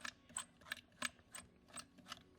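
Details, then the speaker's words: 2000 Chevrolet pickup with no A/C or heat blower, blower motor removed and turned by hand: scratchy squeak-and-grind bursts, bearings almost seized, motor barely turns and is toast. "definitely toast Oh bearings almost locked up on it it will barely barely turn it"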